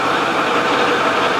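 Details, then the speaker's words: Heavy diesel truck with oil leaks, smoke and suspected turbo damage, running: thin high whine over the engine roar; suspected power steering pump cavitation, not confirmed. "this sounds suspiciously like it sounds like a power steering pump cavitating"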